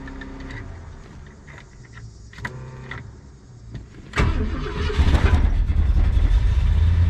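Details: 1966 Ford Fairlane GTA V8 after fitting a remote oil filter and new volt, oil pressure and water gauges: after handling noise it fires and settles into a strong, even, deep idle with no knocks or misses; 14 volts charging, good oil pressure.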